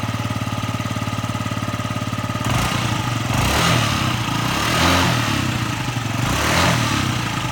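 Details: Yamaha Jog ZR (SA36J/SA39J) scooter, about 9,000 km, accident bike, after repairing an engine noise: steady even putter at idle, clean throttle blips rising and falling smoothly, no knocks or rattles; healthy.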